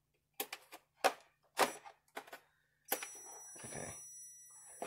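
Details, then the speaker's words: Sunbeam quartz heater with failed thermal fuse, testing power and tip-over switches with a multimeter: a few sharp switch clicks, then a steady high continuity beep as contacts close; switches making contact normally. "So you hear it beeping, going off, doing a hoot and a holler."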